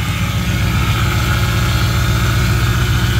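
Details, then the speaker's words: Mercedes-Benz S550 with crank no start from no fuel, after fuel pump and filter replacement: steady even low hum at idle with no misses, knocks or ticks; engine runs smoothly, possible small leak noise noted. "engine is running that was the issue"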